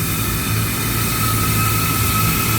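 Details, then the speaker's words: Walk-in freezer refrigeration compressor just started under heavy load with the evaporator fully loaded: loud, harsh, rough droning, did not quiet after about five minutes; failing compressor. "sounds very rough it doesn't sound good at all. We're going to give it a minute. See if it calms down, its also on Under a heavy load."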